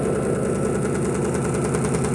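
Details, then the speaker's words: Electrolux Perfect Wash 16 kg (LP16) washer spinning with sneakers inside: a loud, constant droning spin with a quick, rhythmic pulsing thump as the machine shakes hard. It is likely an unbalanced load. "simplesmente essa máquina tava balançando aqui"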